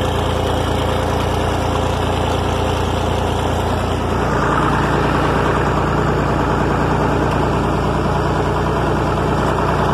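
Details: 1961 Massey Ferguson 35 Deluxe, A3.152 Perkins indirect-injection diesel, pulling a Ford 309 corn planter: an even, steady chug of about three beats a second that holds firm under load with no misses, a tractor running well.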